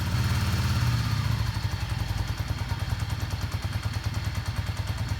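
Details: Yamaha Star 650 V-twin after carburetor rebuild, idle on choke with little fresh gas: fast, slightly lumpy steady low thump, no knocks or misses; normal choke idle.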